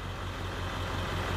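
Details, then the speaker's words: Ford F-250 7.3 Powerstroke diesel, warm, in park, during the cylinder contribution self-test: loud clatter at idle with an uneven low pulse; code P0263 on cylinder one suggests a weak injector, not definitive; truck has a miss and shudder. "all right and immediately we get a po263 cylinder one remember that's the quad injector contribution balance let's turn the noisy truck off"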